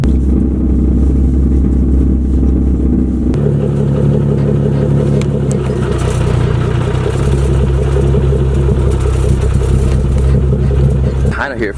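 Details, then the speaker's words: Nissan 370Z with loud exhaust at idle; deep steady idle with buzzing rattle from exhaust hitting the mid subframe, heard in cabin and outside, worsening with driving. "that is the exhaust hitting the mid subframe i think you call it but it's not normal"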